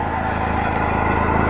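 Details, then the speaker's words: Toyota MR2 SW20 idling: steady rough grinding whirr over the engine, worst near the vent and getting louder, newly noticed; owner suspects an idler pulley bearing, alternator recently replaced so thought unlikely. "I don't know, grinding sound. It's really bad over near the vent. Pretty sure you hear it getting louder. But I'm almost certain that's either just an idler pulley, maybe like a bearing in the alternator."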